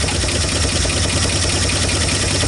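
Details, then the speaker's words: 1959 Ford Fairlane 500 Galaxie V8, first start in 20+ years, no smoke: steady idle with fast, light ticking over the low rumble; lifter tapping that may clear up, engine needs a good flushing. "I don't know how it's going to sound on camera. Definitely hear the lifter tapping."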